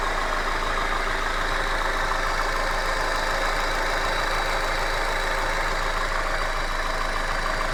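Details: Hyundai Accent engine at steady idle with a faint fast tapping, roughly three a second; an engine knock whose cause is not yet pinned down.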